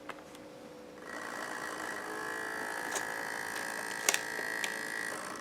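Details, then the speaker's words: Old Acer Aspire 5000 laptop, AMD Turion 64, starting up: after about a second a steady high whine with faint scraping; loud fan, owner says it rubs on the heatsink or something inside, not confirmed. "It's going to be loud when I start it up because the fan rubs on the I don't know, the heatsink or something in there."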